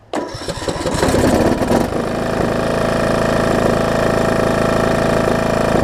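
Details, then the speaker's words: John Deere D110 mower rebuilt engine after head gasket replacement: cranks, catches within a second, settles to steady even twin idle, no misses or knocks; possible valve cover leak or burn-off; normal running. "so i guess that's a good thing right so foreign whoa i said seems to run good oh so good"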